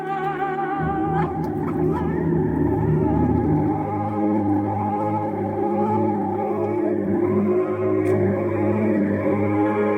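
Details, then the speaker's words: Panasonic RS618 cassette deck (~1980), playing a tape it dislikes after plays others fine: tones waver, smear and slide unsteadily instead of holding; tape playback wow with certain cassettes. "but that's only what the tapes it likes we have here freddie mercury the tape which it does not like and listen what happens"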